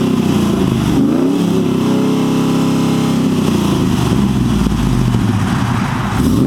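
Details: 2008 Chevrolet Silverado 6.0L L76 V8 with American Racing headers, high-flow catted Y-pipe and Borla XR-1 muffler, revved in place: deep burble climbing smoothly through a couple of clean revs back to idle, loud exhaust; healthy engine.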